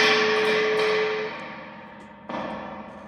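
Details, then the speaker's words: 2002 Fender Vibroverb reissue amp, 400 Hz sine test signal at input, reverb tube not the fault: ringing tone fades, then splashy crash when tapping the tank; recovery stage works, reverb driver stage faulty. "What's that tell you? That tells you that the recovery stage is working. But something's wrong with the driver stage."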